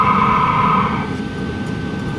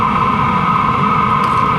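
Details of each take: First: LF BROS N2 Pro 2024 diesel heater with an Amazon aftermarket exhaust muffler fitted: a steady soft whoosh with a faint even whine and a low rumble. Smooth, much quieter exhaust, about equal to the supplied muffler. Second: LF BROS N2 Pro 2024 diesel heater exhaust with its supplied muffler removed: a loud, steady rushing hiss with a strong mid-pitch roar. Unmuffled exhaust noise.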